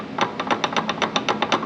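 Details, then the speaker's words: VW R32 on its first drive after 10 years sitting and a timing chain job: sharp, even clicks about seven or eight per second while driving, with jolting on throttle and power loss, and the owner suspects the transmission. "Don't think it's supposed to be making that sound."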